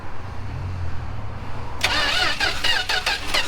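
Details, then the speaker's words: 1967 Plymouth Valiant long-sitting, cylinders fogged with PB Blaster, spark confirmed: starter churns then rapid uneven pops as it tries to catch; penetrating oil in cylinders causing partial firing, not yet running. "She wants to run now. It's all the PB Blaster that's in there."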